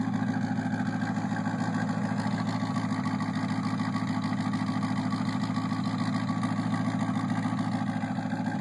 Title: Ticking sound